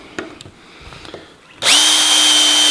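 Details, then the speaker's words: Cordless drill with adjustable clutch set to 10 driving a screw into timber: steady motor whine, then fast ratcheting clicks as the clutch disengages with the screw flush. Normal clutch slip. "down it goes and the clutch is starting to disengage right now and it's finished up nice and flush with the surface"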